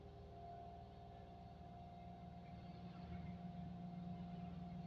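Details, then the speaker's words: Engine in neutral with handbrake held, no AC (AC makes it worse): idle revs stuck high, raised steady hum swelling slightly and won't drop; faulty idle speed control (ISC) valve, fixed by replacing ISC. "Meraung-meraung nggak jelas gitu. Ini mau aku coba aku pegang handrem ya, biar nggak jalan ya. Nggak mau turun. Sama sekali nggak mau turun."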